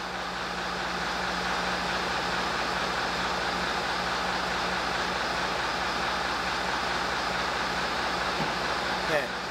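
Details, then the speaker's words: 1960s AEC Routemaster London bus RM7, engine idling to build brake pressure after the stop flag rises: one metallic clunk from underneath as the cut-off switch kicks in, signalling full brake system pressure. "but then what we have to do is wait until we hear a metallic clunk coming from the underside of the bus that's the cutoff switch and that tells us the brakes are up to full pressure"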